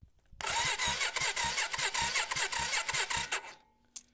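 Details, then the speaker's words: 1990s Yamaha Virago 535 motorcycle, starter fed directly from the battery. It spins with a quick uneven whirring chug for about three seconds but never fires. The fuel pump isn't heard running, so the owner suspects a fuel problem: cranks, no start. "là je pense que la moto elle peut pas traquer puisque dans cette config là je suis pas sûr que la pompe à essence des beats d'ailleurs je l'entends pas tourner donc je pense qu'il ya un autre problème de ce côté là"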